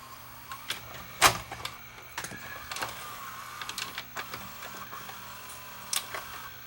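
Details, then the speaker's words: Philips VRB615 VCR after repair and reassembly, loading a tape: a quiet motor whirr with light clicks as the tape threads, no crunching or strain; it loads normally without eating the tape. "It doesn't eat. Excellent."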